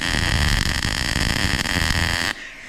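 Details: MIG weld, loop technique with steady rhythm, consistent stick-out, wire clipped before starting: steady, even crackling sizzle with no pops or sputters, then the arc cuts off cleanly; a healthy, well-tuned arc.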